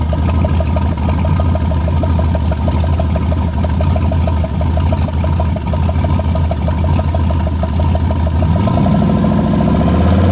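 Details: V8 at first start after a rebuild with new gen 4 rods and pistons, oil pump, cam, lifters and all new gaskets: steady, even idle, then the revs climb cleanly near the end with no knocks or misses; normal.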